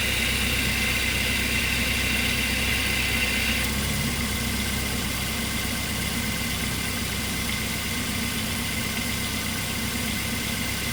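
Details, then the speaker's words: 2008 Mazda 3, nearly 200,000 km, idling with AC on after new serpentine and AC belts: steady idle with light belt whir, tone shifting partway as the AC clutch drops out; normal cycling per mechanic friend. "i got a bit of a shock when um that uh con you know stopped or paused um i i i'm uh just asking a mechanic friend of mine but it seems to be normal behavior"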